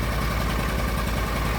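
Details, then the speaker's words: Argo ATV idling after the fuses were replaced, which restored power to the fuel solenoid; new carburetor; gauges and lights work: short, steady low idle with an even pulse and no misses or knocks. Normal idle. "So, I put it back together and hit the key and it's running. All my gauges work, lights work, all that stuff. It's idling."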